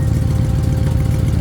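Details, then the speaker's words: 1997 Ford F250 with 5.4 Triton V8, long sat, idling with the exhaust not fully hooked up and a leaking exhaust manifold; loud raw idle with uneven puffing, ticking pulse in the low rumble: exhaust leak. "you can already hear the exhaust uh fumes on this thing"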